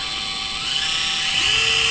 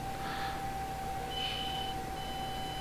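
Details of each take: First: Axial SCX24 crawler on a bench stand with the V2 transmitter and ESC at full throttle: only a faint steady hiss, no ESC whine unlike the louder V1/C10 ESC; quiet controller, same pull. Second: Axial SCX24 V2 crawler on a bench test at light throttle: thin steady high electronic speed controller whine with no wheel movement, before engagement a millimetre or two later.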